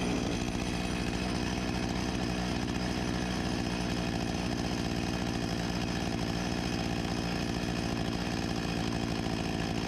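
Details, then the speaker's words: 1989 Husqvarna 254 G two-stroke chainsaw after carburetor refurbishment and new fuel line, idle being set to about 3000 rpm: steady, even buzz with no hunting or stumbling, running healthy. "I think idle should be around 2800 on this one, but I’m not sure. I’ll set it to 3000rpm Sounds like a good speed right about here"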